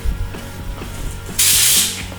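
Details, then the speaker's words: Ford 6F50 transmission rebuild, air check: a half-second sharp hiss of escaping air over light clatter, with a thud; the clutch circuit is leaking air and needs better sealing. "She blows today. I can hear the thud personally, but we'll see if we can't seal this circuit off a little bit better."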